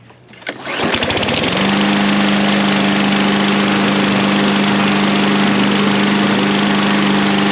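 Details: Replacement Briggs & Stratton 550EX lawn mower engine, first start after install: catches after a couple of pulls and settles into a steady, even buzz with no shake or miss; runs cleanly, whereas the old engine shook the whole time.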